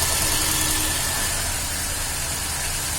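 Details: Hyundai Xcent petrol engine with long cranking before starting, idling: uneven, stumbling low thump under a lot of high hiss, a misfire.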